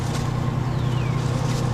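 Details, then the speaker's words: 1999 Ford E-150 Econoline van, fuel-injected, cold start on a frosty winter morning without touching the gas: a steady low hum with an even, unbroken pulse and no knocks or misses; smooth normal cold idle. "She'll start. Look, I didn't even have to press the gas. This is what fuel injection does for you."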